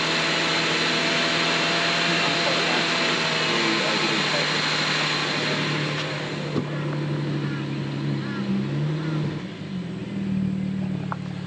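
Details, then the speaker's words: BMW E90 335i N54 idling right after start with a new fuel pump and new plugs: steady idle with fast light injector ticking of about four clicks a second; normal direct-injector noise, with smoke from oil left in the plug holes. "and you can hear the injectors like crazy but"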